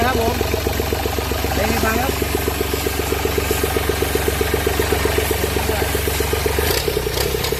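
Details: Mitsubishi S3L2 turbo three-cylinder diesel (33 hp), test-run with alternator connected: even, steady diesel clatter with regular, knock-free beat and no misses; turbo and bearings described as tight, oil pressure coming up, engine running smooth and healthy.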